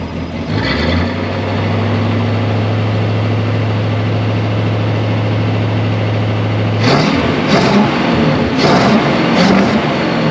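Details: 1965 Ford Galaxie 500 project car, newly revived, with oil pressure and coolant temperature reading on the gauges: a deep, steady V8 idle holds an even beat, then throttle blips rise cleanly. It runs well.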